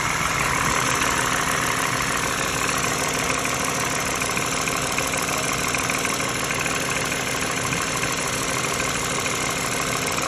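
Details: Used 2013 Lexus RX350 base US-spec petrol V6 idles with a light, busy metallic rattle, also heard in the cabin, cause unknown; front right engine mount recently replaced, plus new tires, alignment and air filter.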